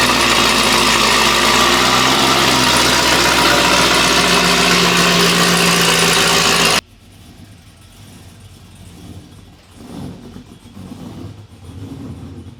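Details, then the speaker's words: Chevrolet Camaro V8, fresh cold start: fires up and settles into steady even lope with throttle blips; running strong. "so i figured since the car's back we'll throw it in a video of a fresh cold startup so let's see what it sounds like"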